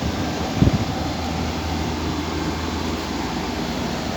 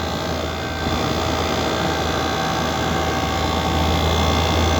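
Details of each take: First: Window AC whose compressor repeatedly trips and room won't cool: steady low hum with fan air rush and a single thump near start; unit running with compressor engaged. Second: Window AC with compressor trip problem, after replacing the capacitor; compressor starts and holds a smooth steady low hum with fan air and condenser fan running, cover open; running normally.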